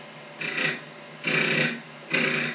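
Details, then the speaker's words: Lathe squaring the face of a 4 3/4 by 4 inch ash blank for a 4" bowl: scraping cut comes and goes in regular bursts with near silence between, tool biting only on the out-of-square corner. "it is got bit of a a weird angle to it at the moment just on this corner here so you can hear it"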